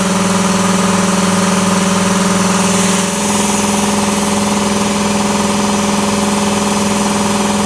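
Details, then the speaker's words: 80-gallon Cobalt air compressor inside a vented enclosure with one insulation layer on one side, roof uninsulated. Loud steady hum with fast, even pumping chatter, no knocks or squeals. Running normally; insulation hardly reduced noise. "the same so is it worth it i don't know i mean it's going to be loud regardless"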